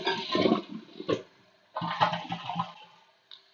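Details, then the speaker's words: Toilet that kept running, after the bad flapper was replaced with a 1.28-gallon-per-flush flapper: quick rushing flush that stops short of emptying the tank, then quiets as the flapper reseals; flush valve working properly. "you'll notice it went very quickly it didn't empty the tank this is a one point two eight gallon per flush flapper"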